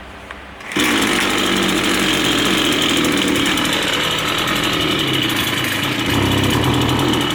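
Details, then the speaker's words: Line trimmer two-stroke at full throttle during carburettor adjustment: loud buzzing scream with an uneven pulsing beat, not running right from a misadjusted high-speed mixture screw. "can see there it's not running right."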